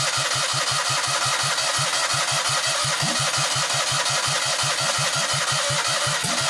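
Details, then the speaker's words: Citroën 2CV flat twin with newly fitted engine, running without exhaust fitted yet, very loud open-pipe popping at about three beats a second, idling evenly with no misfires or knocks. Normal idle. "I said I was gonna put ear defenders on before doing that I didn't and maybe living to regret that that's almost as loud as machine head in 1999 out of all the huntin Civic but running beautifully idling spectacularly well"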